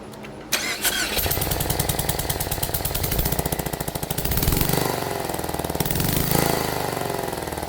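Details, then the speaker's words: Four-cylinder car whose spark plug blew out of the head (another shop said it needed a new engine); uneven, puffing, chuffing idle running on three cylinders with compression hissing from the plug hole; misfire and compression leak. "It just sounds like it's running on 3 cylinders and a lot of compression seeping out of one of the cylinders."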